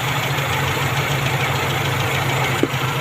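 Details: Owner-type Jeep with 4K engine that would not start on its ignition switch, after replacing the contact-point distributor with an electronic one and setting timing to 8° BTDC with a timing light; steady, even smooth low idle with no misses, normal idle.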